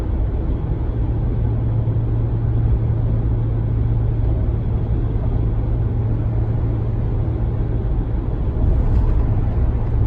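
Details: 2019 Ram 1500 at steady cruise in 8th gear, regardless of MDS four-cylinder mode; constant deep droning cabin hum over road rumble, persisting after dealer replaced sound amplifier, cause unknown.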